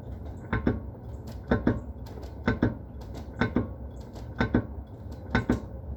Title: E46 M3 clunk noise from rear suspension